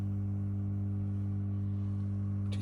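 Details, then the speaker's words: Victron MultiPlus-II 12/3000 inverter on 12 V lithium, inverting a 2 kW wallpaper steamer load: loud, steady low electrical hum of constant pitch, no buzzing or crackle; typical normal hum before the fan kicks in. "So, currently it's on invert and I plug it in. And there you go. You can hear the typical hum,"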